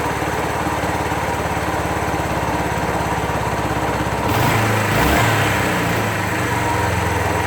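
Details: 2001 Suzuki GZ250 single at loping idle, sharp puff each firing and a brief blip: leaking exhaust joint persisting after gasket replacement; engine lean, plucks as choke backed down, front pipes bluing.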